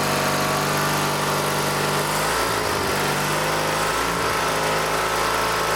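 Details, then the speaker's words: Dynamark lawn tractor single-cylinder engine (16 hp rated at 3600 rpm), revived from a scrapyard with new fuel lines: runs steady, dips briefly, then settles to a smooth governed speed after the governor spring tension was raised toward 3600 rpm. "so like I've been explained in a lot of my other videos when you put more tension on the governor's spring that's going to raise the RPM"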